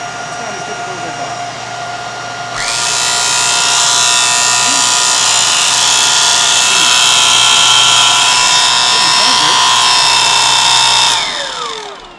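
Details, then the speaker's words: Bissell 3374 Pet Hair Eraser Turbo Lift-Off upright vacuum motor spins up to a loud, coarse roar with a ragged, uneven edge instead of a clean whine, then winds down; sounds sickly but works, cause unclear. "Doesn't sound great. Definitely sounds like it's sickly in there, but it spins."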